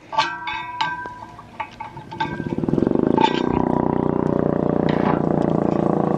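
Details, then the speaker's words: 1991 ACA Screamer S-5 siren rotor spun with a screwdriver: metallic clinks, then a fast, rough, rattling whir from worn bearings. "Sounds good, but those bearings leave a lot to be desired."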